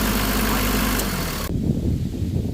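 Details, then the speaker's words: Mitsubishi Delica Star Wagon Chamonix diesel van (4-speed auto, 4WD) warming up at a 1,000 rpm fast idle set by hand throttle; steady, even low rumble, no knocks or misfires. Radiator and hoses replaced, belts checked and a couple replaced, injectors and injection pump serviced. Normal diesel idle. "I'll pull it up to 1,000 RPM, crank it to the right. And I'll just let it warm up like that. It sounds really good."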